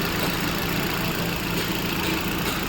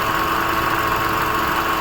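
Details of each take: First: Hyundai i20 idling with the drive belt removed: steady, even idle with no squeal, chirp or rattle; water on the belt hadn't stopped the noise, which was traced to a faulty AC compressor clutch pulley; belt slightly torn. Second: Hyundai i20 at idle, heard at the engine bay. A constant rough "dhoo" drone that stops when the belt is removed; the belt is slightly cracked, and the fault is a failed AC compressor clutch pulley bearing.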